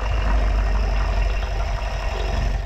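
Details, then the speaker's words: Fiat 500 MultiAir, after sitting six weeks and cranking with no compression and no start, fixed by poking through the bottom hole under the oil fill cap while cranking: now a low, even, steady idle with no misfires, ticks or stumbles. "it worked and this is covered in oil but there you go thanks for watching"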